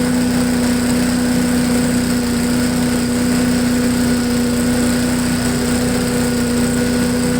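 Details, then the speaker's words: MTD push blower with Honda 5 hp engine, sat over two years, restarted after old gas drained and fresh gas added, run on the ground. Steady even single-cylinder buzz, no misses or surging; idles well, owner feels it could run slightly faster. "well it runs like a honda it idles real well i want to turn up the idle a little bit on the uh high speed just a little bit it seems like it could run a little faster"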